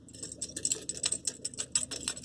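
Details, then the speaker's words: Peugeot 408: light, irregular metallic jingling like keys knocking or a loose bolt, heard driving with the windows open, from a loose protective heat shield under the car near the gearbox; deflector was earlier suspected. "mas é um barulho mais ou menos como se fosse de chaves batendo ou de um parafuso solto alguma coisa desse tipo"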